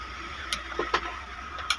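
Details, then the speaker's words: Overlock (interlock) machine model 747: irregular metallic clicks and ratchety snaps as the jammed upper shaft is turned by hand with a spanner during maintenance. It must be freed by turning before it can be removed. "ये अभी हमारा आपको नजर आ रहा होगा कि ये आवाज कर रहा है तो उसको खोल लेते हैं घुमा के फ्री कर लेना है पहले"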